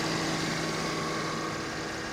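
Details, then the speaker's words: 2013 Mercedes E350 coupe, about 75,000 miles, at auction, under open hood: very quiet, even idle with soft hiss and faint hum, A/C compressor cycling, no ticking or knocking; healthy engine. "I can't figure out why she's here though. That is quiet as can be."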